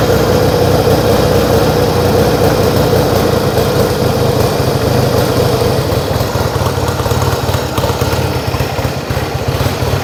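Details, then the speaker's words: Yamaha XS1B twin after carbs rebuilt three times, airbox refitted, dead cylinder tune and throttle screws wound evenly for about 1000 rpm idle, just after a backfire: loud, steady, even twin-cylinder idle with no missing or hunting; normal healthy idle. "How does that sound? Sounds good to me. I'm going to leave it there. You can fiddle endlessly."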